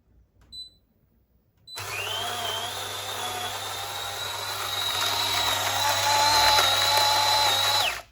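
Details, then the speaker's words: DeLonghi coffee machine grinder set finer than allowed, adjusted a click or two at a time. It gives a high, strained, slightly rising whine as it works harder. Too fine a setting can stop it grinding a full dose and abort brewing. "As you can hear, even a grinder change its sounds, because it grinds much finer and it works harder."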